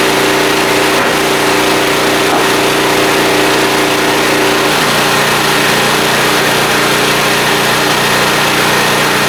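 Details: Small blue Walmart generator, about 15 years old, 110-120 V, started on choke after fuel system work, lighting a lamp; settles into an even, steady buzz with no misses or surging, running smoothly and healthy.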